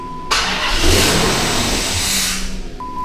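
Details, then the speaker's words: Dodge Magnum R/T V8 wagon: engine catches and revs briefly with a thin hiss and whistle riding over it, then dies, no check engine light; suspected intake vacuum leak, source not yet found. "I heard some kind of whistle noise. >> [snorts] >> Damn. That has to be a vacuum leak."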